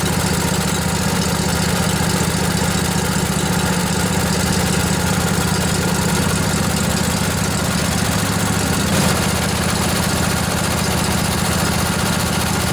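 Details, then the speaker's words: Junkyard Briggs & Stratton Intek twin-cylinder 20-25 hp riding mower engine, long sat outdoors, just revived: steady even low putter at idle, no knocks or misses, little smoky after not running a while; normal idle. "Look at us go. A little bit smoky. Hasn't been running a while."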